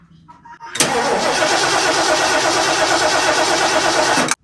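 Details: 1977 Mercury Cougar XR-7 after rebuilt C4 transmission install: starter cranks steadily about three and a half seconds, then cuts off without firing; 6 volts at coil, suspected ignition module or wiring fault, not confirmed.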